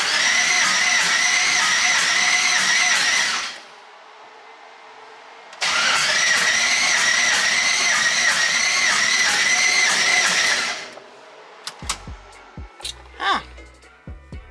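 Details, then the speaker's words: Twin-turbo LS-swapped Mustang after BTR Stage 4 cam install: two long bursts of fast, even cranking about 200 turns a minute, never catches; fuel pump primes, cause found to be cam timing off a good amount. "uh hopefully it starts still nothing what the hell's going on so i tore everything apart real fast and i was off timing uh a pretty good amount"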